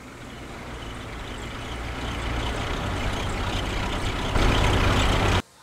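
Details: 2005 GMC Envoy, left front wheel, after recent repairs: low droning rumble swelling as the vehicle gathers speed, sounding like a wheel bearing but from a sticking, dragging brake caliper.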